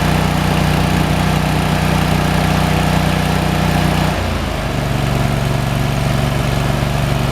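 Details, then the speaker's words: Kohler CH23S at low idle after clearing a plugged, corroded low-speed jet in the carburetor that had starved the low idle circuit. It had been sputtering and backfiring and now gives a steady, even putter with no sputter. "That low idle's pretty. That's the way it ought to run. Before it was sputtering and backfiring, every other thing you could imagine."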